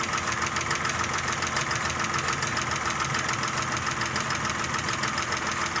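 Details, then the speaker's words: Audi A6 engine idling: fast, light, even ticking about three per second, quieter than the earlier loud knocking, gradually fading as hydraulic lifters refill; condensate under valve cover, low oil pressure suspected. "Уже мало. Потихоньку пропадает, постепенно."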